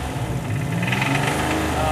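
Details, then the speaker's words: Buick Grand National built engine at idle, no throttle: steady low knock under the exhaust note, sounds like rod knock though oil pressure is normal; cracked torque converter or flexplate bolts also suspected. "Okay, so it definitely sounds like a rod knock, but we do have really good oil pressure, totally normal oil pressure, and sometimes it can be the torque converter bolts going into the flex plate or the bolts that hold it to the engine that are cracked."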